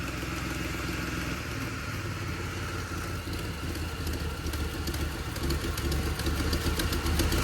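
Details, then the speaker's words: Mustang, warm after cooling, suspected exhaust gasket leak and fluid leak: idle hunts and stumbles with faint exhaust tick, missing after idling a while, check engine light on. Rough idle. "now seeming to struggle after idling for a little bit. Has it moved any? H. Yes. We're going to let it run for a bit. So, she's missing. For sure is missing."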